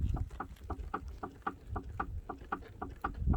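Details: Ford Mondeo 3 front axle, car rocked by hand without a lift: sharp hollow clunks, three to four a second; worn front stabilizer (sway bar) link knocking, replacement RTS 97-90627 links recommended.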